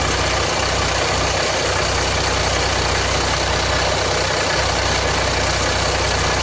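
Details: 2007 Jeep Grand Cherokee 3.0 CRD diesel idling after about five minutes warming, oil light at idle, level correct: harsh clatter with loose uneven rattle; owner suspects timing chain or guide breaking up, debris possibly clogging oil pickup strainer.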